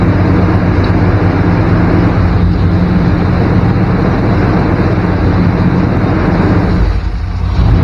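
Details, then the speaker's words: 1994 Chevy K1500 Blazer idling around 1500 rpm: steady fast idle well above normal, then a brief sag in speed as a suspect spot is probed; idle drop points to a significant intake vacuum leak. "hear that idle drop got a significant leak here somewhere"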